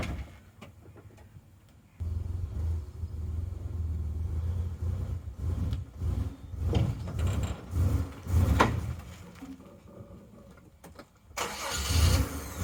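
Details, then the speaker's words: 2000 Mazda Bongo, 2.5 litre V6 petrol: heavy misfire even at idle, surging and sagging, stumbling and nearly stalling under load; no power to drive up trailer ramps. Owner suspects ignition leads. "The thing's misfiring that badly that it simply hasn't got a power, keeps stalling, and it just will not drive up the ramps and onto the trailer."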